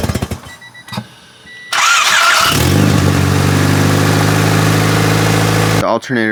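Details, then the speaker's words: Honda Civic EJ1 after tightening the alternator belt: starter cranks briefly, engine catches and settles to a steady idle with no belt squeak at startup; squeal fixed. "belt sounds good. It doesn't make that squeaking sound whenever I start it on up."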